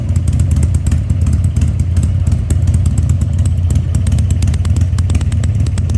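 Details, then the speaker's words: 2000 Harley-Davidson 1200 Sportster after carburettor rebuild and leak repairs, restarted with air cleaner fitted; deep lumpy V-twin beat holding steady and picking up cleanly on throttle, no misses, running healthy. "okay guys let's crank it back up one time with the air cleaner on it I guarantee it's going to like that much better"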